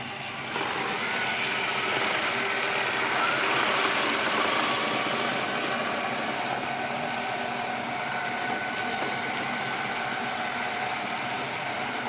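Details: Miele RX1 Scout robot vacuum after board and brush motor replacement for F4 error, floor test run: steady, even whirring with light brushing hiss, no knocks or grinding; running normally.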